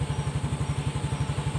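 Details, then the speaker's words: Healthy idle of a 2018 Yamaha Mio S fuel-injected scooter after repair of sudden morning stalling with dead speedometer: even putt-putt about ten beats a second, no skips or hunting; checks were fuse, battery, ignition switch wiring. "Oke, ia hidup. Sepeda motornya langsung menyala. Oke, jadi berhasil, teman-teman."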